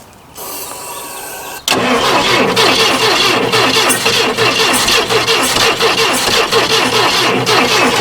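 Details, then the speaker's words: 1980s Yale/Eaton 6,000 lb forklift, sat eight years, plug wires fitted ignoring firing order: quiet lead-in, then loud rhythmic cranking chug that never catches; cranks but won't start. "yep she's trying well let's look a firing order"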